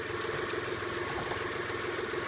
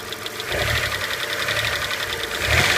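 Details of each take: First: Car with lifter tick, about an hour after adding STP oil treatment, at idle: steady, even idle with soft uniform hum and no top-end ticking; lifter tick gone. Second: Petrol V6 blipped several times: light fast metallic lifter tick, heard around when STP oil treatment is added as a fix (half a quart). It quieted after sitting an hour or two; owner says results are unpredictable and recommends replacing the lifters.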